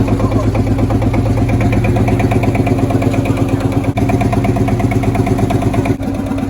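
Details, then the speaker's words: Field Marshall Series 3A single-cylinder diesel, first start after rebore and oversize piston fitted (a ring had snapped, likely from bore pitting); steady even thump just under three beats a second, no knocks or misses, sounds better than before. "so it sounds better than it was"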